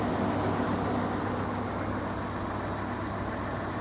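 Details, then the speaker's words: Ford F-150 with a 2.7 V6 and 97,504 miles, started right up, idling with the AC on: a smooth, even low idle with a steady hum and no knocks, misses or whine; a normal, healthy idle. "she runs like a top"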